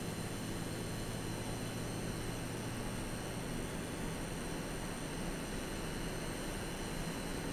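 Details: AMD Radeon RX 6800 (non-XT) while gaming, audio slightly boosted: a steady thin high coil whine over constant airy hiss; replacing the older power supply cured it.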